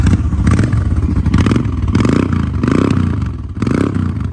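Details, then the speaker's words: 2003 Honda Shadow V-twin, mileage unknown: loping idle with a few clean throttle blips, revs rising and falling smoothly, no knocks or rattles; the engine sounds very healthy. "sounds very healthy."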